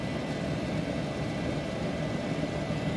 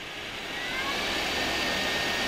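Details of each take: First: Solder fume extractor fan at full speed: steady roar whose tone changes considerably, strained, once the lid restricts the outlet; airflow drops from about ten to about one meter per second. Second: the fan in this is actually extremely powerful if we start spinning it up to full speed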